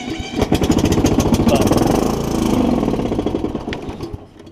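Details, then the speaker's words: Kohler Courage 20 single-cylinder mower engine, exhaust valve adjusted after it wouldn't turn over, block cracked in the usual spot so run only briefly: fires and settles into a quick even single-cylinder beat that fades off; normal running. "Let's see if I can crank it for y'all. I'm not going to let it run very much because it does have a cracked block in the usual spot."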